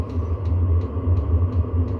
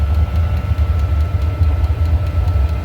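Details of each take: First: Diesel heater after a teardown and soot cleaning: a deep, steady burner roar with a light pump tick two or three times a second. It is now flaming and putting out heat, with a little smoke on start-up. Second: Diesel heater restarted after teardown and soot clean (owner suspects mixed fuel); deep steady roar with fluttering low pulse, running hard at full burn, heavy smoking as it burns off residue stirred up during cleaning, now getting properly hot unlike before.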